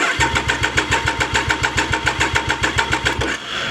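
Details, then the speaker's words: Triumph Daytona 955i project bike, fuel tank propped on and pump primed: steady starter cranking with even compression pulses, never catches; cranks no start, injectors suspected clogged, not confirmed. "so now it's not getting through again. >> It could be that the injectors aren't doing their job."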